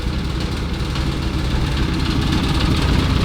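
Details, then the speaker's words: Lotus Elise Duratec after a trackday failure, idling while coolant circulates and the water pump is checked: low rumble with a buzzy metallic rattle from a sheet-metal panel just unfastened, vibrating against the engine; loose panel, expected, no fault. "Bon, la tôle qui vibre, c'est normal, hein, vu que je viens de la décrocher."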